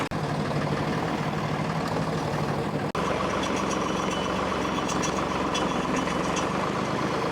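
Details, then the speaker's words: 1964 Lamborghini R2 diesel tractor after priming a pump that had run dry and bleeding air from the lines: idles with an even, steady low clatter, no stumbles or hunting, running properly. "got this thing running and uh seems like it's humming along pretty good"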